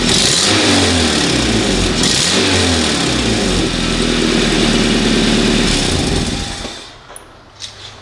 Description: Can you diagnose this engine noise for me ? Thank you very much !